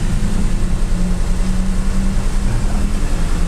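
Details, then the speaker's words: Daihatsu Xenia/Toyota Avanza old 1000 cc, warmed up, AC off: a steady engine hum with an even pulse, idling fast at 1200 rpm instead of 900–1000 and higher with AC on; possibly a dirty or damaged idle speed control (ISC) valve holding the revs up. "Untuk RPM dia berhenti di 1200. Ya ini ya, jadi tanpa AC dia 1200, ketika di AC dia tambah naik, dia turun lagi. Jadi RPM-nya nggak standar ya, nggak di 900 atau di 1000."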